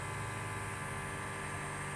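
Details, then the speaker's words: Electric lift fuel pump on a Chinese diesel mini excavator at 36.8 hours, after a spider nest was found as the problem: quiet steady single-pitch hum without stutter or rattle, pump running normally and pulling fuel. "oh yeah you can hear it little dude's ripping got to open that back up [Music] now I don't know oh yeah it's pulling"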